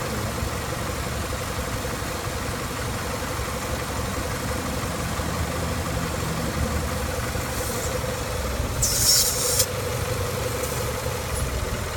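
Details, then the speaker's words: Engine at idle after repairing a hissing vacuum leak, found by pinching hoses, and hose trimmed and refitted; P0171 lean code gone: even, steady smooth low rumble, no hiss or stumble over twelve seconds; normal idle. "No more hissing noise, and no more PO171 lean."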